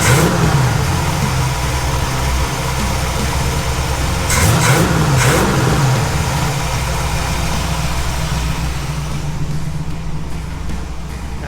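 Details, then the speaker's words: 1947 Ford F100 with Ford 302 V8 after swapping Holley for Edelbrock carburetor, air cleaner on: fires quickly, two clean throttle blips, then steady even idle with no misses; electric choke kicks in, needs adjusting; normal start and idle. "right that sounds pretty good that fired up pretty quick this thing feels awesome"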